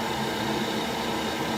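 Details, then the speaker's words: Worcester heat-only condensing boiler after condensate damage repairs: steady even rush of fan and burner, no pops or cutting out; fires straight away, unlike before; normal boiler firing. "Now let's turn the boiler on. It should fire straight away, he says. Much better. Wasn't doing that before."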